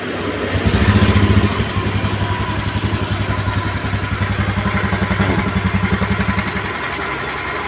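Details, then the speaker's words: Honda Beat scooter, after the rough, dry-bearing-like noise was fixed by fitting new 6205 and 6007 bearings: after a brief rev, an even single-cylinder idle at about 220 beats a minute with no grinding or rumble; engine smooth again. "ini sudah saya Nyalakan Alhamdulillah mesinnya kembali halus"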